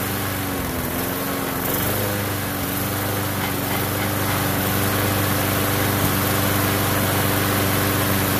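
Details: Lawn mower single-cylinder engine after carburetor cleaning (clogged tiny jet cleared) and new fuel line: steady, even buzz at constant pitch with no stumbling or surging; runs cleanly, normal running.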